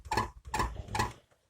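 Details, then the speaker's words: Renault Logan door pushed by hand: three sharp metallic squeaks about half a second apart, rattling on gravel and rough roads after a summer of bad roads; worn door lock striker, fixed with homemade bushings. "Слышишь этот дребезжащий звук? Подобные дребезжания очень заметны при движении по гравийным дорогам, полевым дорогам — короче говоря, по плохим, неровным дорогам."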